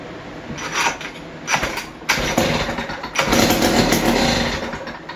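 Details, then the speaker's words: West Bend 580 small two-stroke, restarted after sitting months, new starter cup, dogs and recoil spring: fires and revs in short uneven bursts, never settles; won't idle, owner suspects dirty reed valves. "So I think why it won't idle, because maybe these are dirty, or I don't know."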